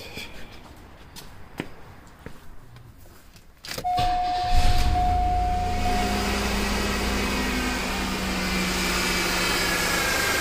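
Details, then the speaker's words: 1995 Cadillac DeVille 4.9L after cooling system cleanup and refill: a few clicks, then the engine starts and settles into a steady idle with no belt squeal. "the belt's not even squeaking."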